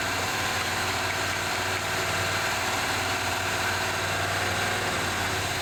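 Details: 1978 Chevy C10 V8 first running after fresh gas added: steady even idle, smooth rumble, no misses, knocks or surging; smoke under hood believed burning off old residue and transmission fluid leak; oil pressure gauge not moving.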